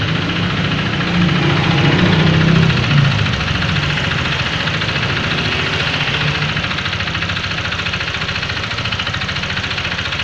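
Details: Honda Vario FI 125 scooter, engine rough after a service, at idle: rough, deep, heavy knocking about three to four per second; the problem is the connecting rod.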